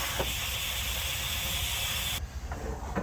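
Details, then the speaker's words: 1979 Dodge W300 Club Cab, garden hose connected to flush the cooling system: steady hard hiss of water spraying for two seconds, then cut off; the hose's rubber end is torn at the hydrant connection and leaking badly. "but the ends of them they don't count you know where it connects here the rubber just tears matter of fact it's poured at the hydrant right now leaking pretty bad"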